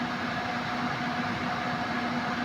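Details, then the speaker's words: Suzuki multicab (D17) AC compressor, previously noisy/grinding, after oil added, pressure reading normal at 175, cycling off automatically: steady even hum, constant tone, no rattle or grinding; compressor running normally, very cold. "Yan normal ito normal 175 mag-automatic M. So okay na guys. Nag-automatic na."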